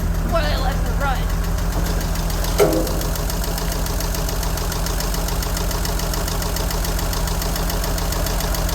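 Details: 1963 Jeep Gladiator at idle after struggling to crank, with the battery possibly run down from a key left in the ignition: a light, fairly quick tick of about three per second over a steady low idle. The source is unknown and the owner plans to find it.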